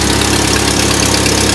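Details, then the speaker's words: 1997 Jeep Wrangler 2.5L four-cylinder idling before cat-back exhaust install: rapid even puffing tick over the exhaust note from a leak at the exhaust donut gasket. "okay got a pretty good exhaust leak"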